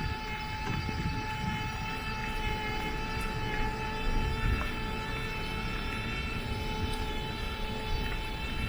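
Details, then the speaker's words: Scoozy S800 mobility scooter driven off-road over rough woodland footpaths: a clear, steady, pronounced high-pitched whine over the rumble of the ground; motor whine of unknown cause, owner hopes it is not an issue. "Right, it's generated a bit of a whine. Hope that doesn't indicate an issue. Yeah, I'm sure you can hear that whine. That's quite pronounced."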